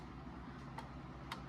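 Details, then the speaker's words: 1830s Ephraim Downs pillar-and-splat shelf clock, wooden works, unserviced, runs about 5 minutes: soft ticks with unequal tick-tock gaps, uneven cadence; out of beat, fixable by slightly bending the rod; dry bushings suspected. "The cadence is a little off, which is adjustable by bending this rod very slightly. You can hear it's kind of uneven."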